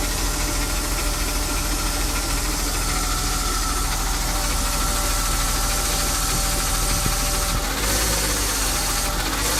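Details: BMW E36 with M52B20 engine at cold idle: fast, irregular light rattle over engine hum that changes with rpm and disappears or quietens when warm; cause not identified.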